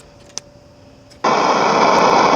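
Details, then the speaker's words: 1984 Honda Goldwing radio switches on to a steady loud hiss with no station or voice, so there is no reception; owner suspects the broken switch prevents changing channel. "all i get is a hiss nothing i think it's because i think it's because the switch here is broken so i can't change the channel"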